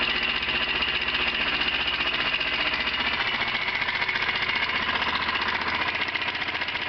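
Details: Honda CBR 125 idling with sharp metallic clacking about four per second; owner unsure whether connecting rod or valve.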